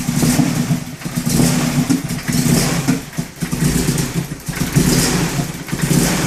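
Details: BMW E30 318is M42/M44 with coil-on-plug conversion, idle control valve cleaned and crank position sensor replaced: idle rises and sags about once a second with stumbling firing; rough idle, owner suspects a coil pack, unconfirmed.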